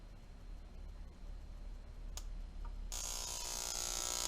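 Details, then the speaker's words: Ignition coil on an old Graham Lee coil and condenser tester, voltage turned up: quiet hum, then a loud, steady hissing buzz as the spark gap fires continuously; coil is good, producing strong, healthy spark. "And you can tell that coil is good. something you don't want to stick your finger in, I suppose."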